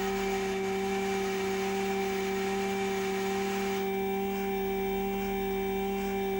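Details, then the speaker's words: Brand-new Chamberlain/LiftMaster DC belt-drive garage door opener running: steady loud hum with strong low tone and airy vacuum-like whine, vibrating heavily; loud motor whine and vibration compared with older openers. "So yeah, you can hear it vibrates a lot, and it's got that vacuum sounding noise to it."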